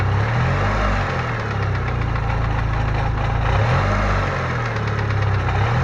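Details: Idle with an irregular metallic rattle rising and falling over a low drone; owner first feared rod bearings, but the Fidanza flywheel starter ring was loose.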